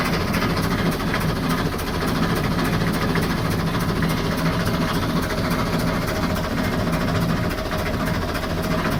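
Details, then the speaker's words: Perkins 4-107 marine diesel, boat sat 8-10 years, engine had been seized, fresh fluids, fed from a fuel can, first fire-up: steady idle with a fast, even tick on every firing as compression blows back past the poorly seated copper washer of injector number two. "number two injector you can hear a little bit of uh and blowing back some of the compression but other than that it sounds pretty healthy"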